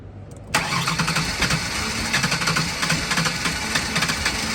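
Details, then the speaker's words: Ford Taurus unused for about three years, first start attempt: starter cuts in sharply with uneven chuffing, some cylinders trying to fire but never idling; fires but won't start, cause unconfirmed. "okay let's see it oh it wanted to fire try again"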